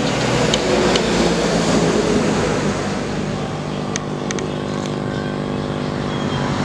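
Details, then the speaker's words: DIY balanced-input audio power supply, conventional supply with volume turned down: steady low mains hum with stacked tones persists; low-noise supply is silent by comparison. "Nah, ini ditutup volume tetap dengung ya. Ini terdengar ya."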